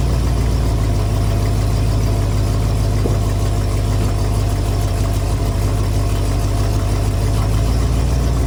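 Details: 1974 Ford F250 SuperCab 460 V8, parked 14 years, running on an inline electric fuel pump: deep, steady, even idle with no knocks, misses or hunting, a smooth low rumble throughout; healthy.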